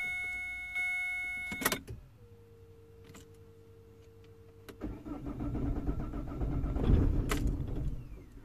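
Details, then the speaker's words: 2007 Vauxhall/Opel Vectra 1.9 diesel Z19DT after engine swap, P0088 code: steady pump hum, then long uneven cranking churn that swells but never catches; crank no start. "so I'm going to turn the key off cycle the key otherwise it won't try nothing and we're going to crank"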